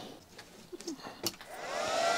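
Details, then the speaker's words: Chinese handheld stick (arc) welder switched on before a first welding attempt: rising airy whoosh as the cooling fan spins up to a loud, steady rush. Very noisy fan, but normal operation. "not surprising we've got a very noisy fan"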